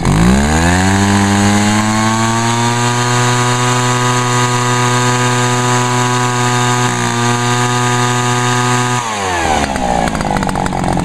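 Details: Echo backpack leaf blower, two-stroke, after topping up fuel that had run low: it revs up cleanly, holds a steady high pitch for several seconds, then drops back without sputtering; it runs properly.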